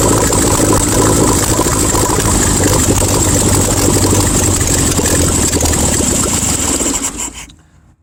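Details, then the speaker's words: 1972 VW Super Beetle that cranks and catches, runs rough for about seven seconds, then dies and won't hold idle. Suspected cause: the pin on the arm at the accelerator cable not staying on the step. "now we've got a problem with car will crank but it will not stay at idle"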